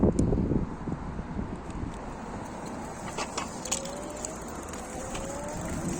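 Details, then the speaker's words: Electric bike geared hub motor with metal gears at full throttle: soft whine climbing in pitch as it spins up, with tyre hiss and light mudguard rubbing ticks; normal motor. New metal gears may be slightly noisier than plastic at first. "so so that sounds quite normal quite usual nothing different"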